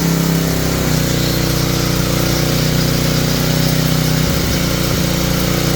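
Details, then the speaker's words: Tecumseh generator bought as non-running, running after an oil top-up with the brown wire reconnected; the fault was low oil and only the idle needs slight adjustment. Steady, even small-engine drone, firm low hum, brief wobble; running smoothly. "well I just got to adjust the idle a little bit and I think we're okay"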